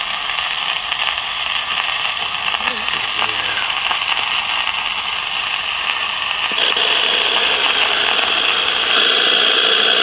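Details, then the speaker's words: 1956 CBS 5-tube AM clock radio, not tuning stations, heard through signal tracer: loud constant hissing crackle growing harsher, noise feeding back through the whole set; suspected silver mica breakdown in the IF cans. "jeez this so horrifically bad that uh damn so I'm saying when it gets the when the noise gets so bad it just feeds back through the whole thing"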